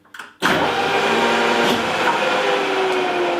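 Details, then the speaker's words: Circa 1970-1975 Japanese Okuma LS lathe motor: after swapping phases, the motor snaps straight to full speed with a loud hum in clockwise rotation, with no soft start and no brake. Counterclockwise has both. Owner wonders whether the added electrical brake is the cause. "the only problem that is still there it doesn't have the stuff start in clockwise rotation"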